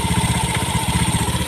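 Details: Fuel-injected motorcycle that stalled with codes 7 (EOT) and 52 (CKP), after repairing the broken EOT 5V signal wire and replacing the CKP sensor: steady, even low idle putter with regular firing, no knocks or misses; normal.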